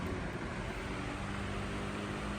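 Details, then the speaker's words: Vintage Emerson 77646 desk fan on high speed, repainted black. An even rush of air over a faint steady hum with no ticks, scrapes or wobble; moves quite a bit of air. Normal, smooth running. "Moves quite a bit of air."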